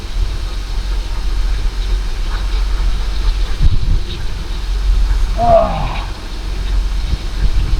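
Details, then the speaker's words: Holden VY Commodore showing about 304,000 on the dash, first start after seven years parked, after fuel pump replacement: steady, even low rumble at idle with no knocks or misses apart from one brief chirp; runs smoothly. "He runs. It's alive."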